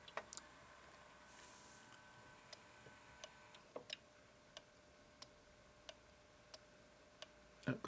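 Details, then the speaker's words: Mitsubishi LT-5V linear-tracking vertical turntable running: sharp single ticks about every two-thirds of a second from loose spring parts inside the spring-loaded record clamp puck; clicking stops with puck removed. "when you start it up it makes a clicking sound but this goes round with the record and it's only got a spring inside"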